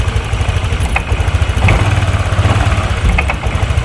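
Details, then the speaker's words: Honda Vario 150 scooter stumbling badly: low, choppy idle dipping unevenly, delayed response on throttle; misfire traced to spark leaking at the spark plug cap. "kita tarik gas, nah ini tuh jadi kayak delay gitu, guys. Nah, tuh jadi kayak ngeberbet banget gitu lah."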